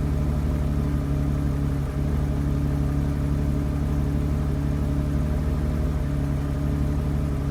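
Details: BMW 750 E32 M70 petrol engine at idle: deep steady drone with an uneven, wavering beat; plugs, distributors, caps and one MAF already changed, plugs wet and sooty, owner suspects running rich; rough idle.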